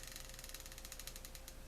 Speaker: does the reel turn smoothly very smoothly